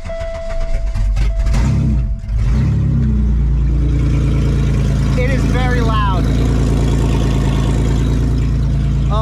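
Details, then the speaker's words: Car with a big hole in the exhaust near the catalytic converter: deep, loud blatting roar swelling as the engine is revved, far too harsh for a stock system; exhaust leak, to be patched. "first thing you'll notice is that I have my catalytic converter right here and now there's a big hole in my exhaust it's super loud and incredibly annoying"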